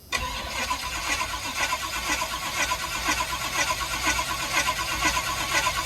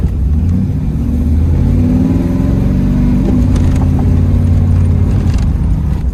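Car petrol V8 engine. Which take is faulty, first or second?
first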